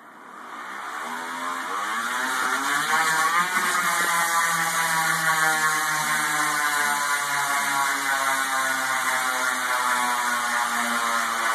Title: Noisy bearing on telescope stand